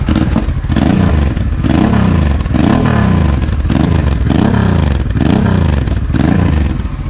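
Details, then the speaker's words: Honda XL650V Transalp after a service and a month standing, first start with new Arrow exhaust on a clean manifold and new plugs, oil changed: the twin blips up and drops back cleanly with a deep, even exhaust note and no misses. Normal running. "zupełnie inna praca z tym wydechem na czystym kolektorem"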